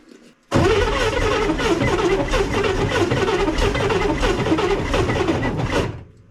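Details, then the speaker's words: 1965 Corvair with twin carburetors, first start after winter storage, throttle pumped: steady churning crank for about five seconds without catching. The engine is flooded with fuel; the starter may be loose. "definitely doesn't like that gas really floods it out try again"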